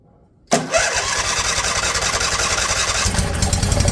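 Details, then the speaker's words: Briggs & Stratton Intek V-twin swapped into mower in place of a blown Kohler Courage, fuel now hooked up, start helped along: cranks briefly, catches and runs steady and even, no misses. "Now it's starting to sound like a brick strap."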